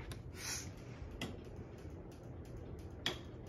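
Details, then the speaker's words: Harbor Breeze Bay-series ceiling fan on high speed: light, irregular ticks a second or so apart over a soft fan whoosh, traced to the fan itself, exact source still unclear. "it's running faster than I remember yeah you can hear the noise on this thing"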